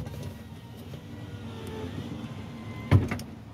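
A smooth low motor hum for about three seconds, then a firm thump as the glass stops; the power window runs normally.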